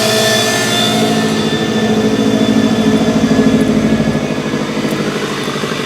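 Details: 2014 Subaru WRX Premium at idle: pulses unevenly at about three per second, level swelling and sagging; rough idle under diagnosis, cause not obvious.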